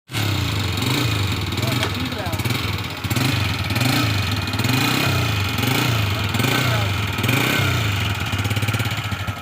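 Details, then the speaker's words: Honda CG 125 motorcycle engine at idle: light, rapid clatter on every beat from noisy rocker arms (cam followers) with excess tappet clearance; fixed by adjusting rather than replacing rockers. Rocker arm noise. "आज हमारे पास यह 125 CC हंडा company की motorcycle आई है जिसके केम follower यानी रकर आवाज कर रहे हैं जिसको हमने स्टार्ट करके आपको भी इसकी आवाज सुनाई है"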